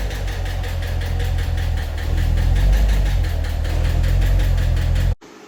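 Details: 2015 Corvette Stingray C7 LT1 V8 before repair: sharp, rapid metallic ticking knock at about three per second over the idle. A DOD lifter was suspected; a broken rocker arm was found.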